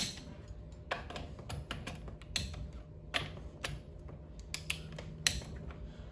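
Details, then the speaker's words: Click-type torque wrench set to 25 ft-lb, tightening crankcase bolts in a star pattern on a Briggs V-twin after a gasket replacement: sharp separate clicks, a few per bolt, faint at this low setting, releasing cleanly at set torque. "One thing I don't like about these click type torque wrenches is how the less torque you have on them, the harder it is to hear the click."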